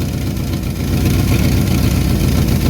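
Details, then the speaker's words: 1974 Ford Bumpside 1-ton, FE 360 V8, factory Motorcraft 2-barrel rebuilt: deep idle that swells and sags unevenly instead of holding steady; hunting idle (vacuum leak or fuel starvation suspected). "Surely that's more than a bowl of fuel. Right? It's got to be lifting now. She's hunting a little bit."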